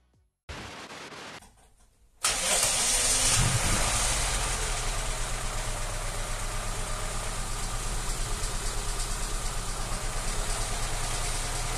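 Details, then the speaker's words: ZAZ Tavria with the front jacked up, running through gears one to four in place: the engine catches and runs steadily, drive wheels spinning, no gearbox whine. The whine appears only in fifth, at 80–83 dB and about 45 km/h wheel speed. "включая все передачи по очереди с первой по четвертую слышно что воин нет"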